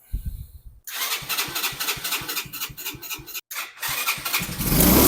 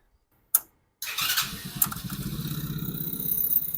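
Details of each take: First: Chinese engine on ACE go-kart, previously hotwired after lost key, carburetor partly cleaned, seized choke lever, no air filter fitted: few seconds of uneven putting, one brief rev, then dies; starts but won't keep running, faulty carburetor. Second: Chinese engine on an Ace go-kart after replacing a new carburetor (old one leaked around brass insert), hot-wired key switch issue; catches on first pull, settles into a quick even putter, starts right up and idles cleanly.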